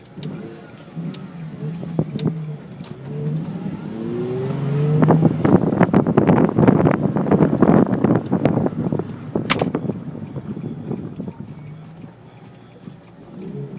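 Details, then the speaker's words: Nissan 350Z after rear end links were replaced with Whiteline versions to fix a creak: engine revs and car pulls away smoothly over bumps with no creak or knock from the rear suspension; fixed. "Well, no more creaks. I'm glad it works."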